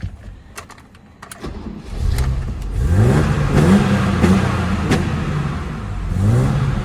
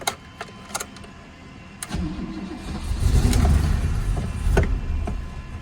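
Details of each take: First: Barn-find BMW 635CSi that previously cut out with no throttle response: the engine catches and revs freely several times, pitch climbing cleanly; it still idles a bit rough. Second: Barn-find BMW 635CSi: starter cranks, then the engine holds a lumpy low idle, backfires through the intake and cuts out with any throttle. There is no throttle response.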